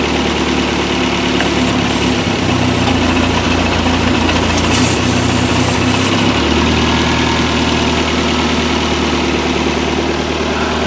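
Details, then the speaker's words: Toyota MR2 with newly installed 3S-GTE turbo engine (CT26 turbo), warm, at idle in earlier clips: loud steady idle with a loose irregular metallic rattle; rattle later gone, source not stated. "we're gonna start this up again and I'll let you hear it without that rattling you guys probably bought that sounded like crap in the last few clips"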